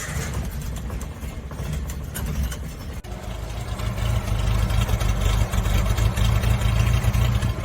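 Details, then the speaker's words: Suzuki Samurai (SJ410/SJ413) after the fix, starting to drive off: low, uneven chugging whose beat stumbles and wavers. Sounds "pretty crappy," described as rough idle. "sounds pretty crappy I guess we'll see"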